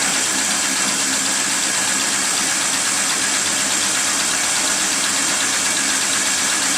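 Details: Geo Metro started after getting oil up to the top end. A steady, dense high clatter rides over the running engine with no clear low knock, like top-end valvetrain ticking. The cause is suspected, not confirmed; the owner mentions oil possibly "flopping".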